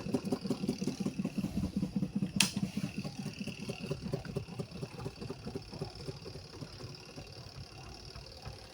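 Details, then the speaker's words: Washing machine spin dryer: rhythmic thumping about two to three times a second that fades as the drum slows; cloth trapped in the spin basket is typically the cause. "Suara di pengeringnya tuh gemelodak banget. Penyebabnya biasanya ada kain yang terjepit."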